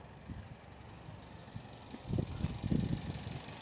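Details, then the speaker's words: Restored 1969 Alfa Romeo GTV 1750 (1779cc twin-cam four, 5-speed), cold, about 60 PSI oil pressure, clutch released, healthy even idle around 850 RPM, a few louder bursts midway, no knocking, ticking or release-bearing noise. "and uh very nice very nice even idle this is quite exotic in the day twin cam engine and 5-speed uh gearbox"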